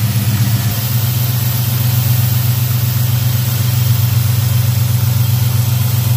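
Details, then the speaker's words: Black Pearl pickup V8 after a TBI throttle body rebuild with cleaned injectors and fuel pressure set a little over 12: a steady, even low idle rumble with no misses, knocks or hunting. Normal idle. "looks like cleaning those injectors worked out well she sounds good running good"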